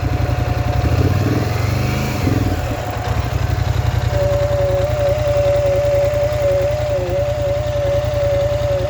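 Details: Polaris Scrambler XP1000 S: idles after a blip, then thin wavering tone rises over the chug and holds; abnormal whine, cause unknown.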